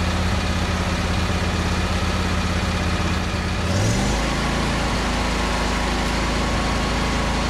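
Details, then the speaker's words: Husqvarna YTH22V46 riding mower long parked, first start on choke: a small single-cylinder engine chugs unevenly, then its pitch jumps; smoke from the muffler, which the owner suspects is burn-off from sitting, possibly bad rings; rough running after storage. "we're eating a little bit of smoke off the muffler that seems to happen if an engine is sat for a long time either that or this engine is actually got bad Rings you never know"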